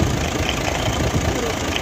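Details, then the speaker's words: Nissan FE6 truck diesel engine: rough, heavy idle with constant gusty chuffing over the clatter, very high crankcase back pressure; excessive blow-by from a worn piston. "कि यह देख सकते हैं कि बहुत ज्यादा back compress है"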